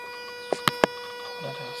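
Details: Mazda RX8: steady, even mid-pitched hum drones throughout with three quick clicks near the middle; owner wonders whether it is a pump or valves, cause unclear.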